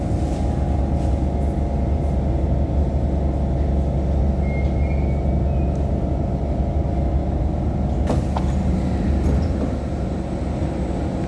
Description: Note that the AC on this particular trainset at 3058 seems to be extremely loud as it manages to drown out most of the sound of the motor, causing the entire carriage to vibrate intensely.